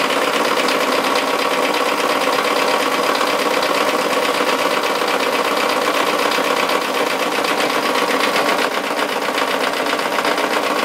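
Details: Mazda Miata on its first start in 8 months with fresh oil; it ran about 1 second at full throttle with an object left propping the throttle open. A fast, uneven hard internal knock, about four per second; the cause is unknown.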